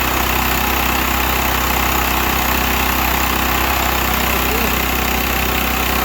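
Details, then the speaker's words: Used Stanley 8000 W all-weather generator, sat four years, running after a start on starting fluid with choke then off; steady, even drone with smooth unchanging beat, no misses or knocks, governed speed, normal running. "Huh. You heard it run. I hate using starting fluid. I think it dries the cylinder out."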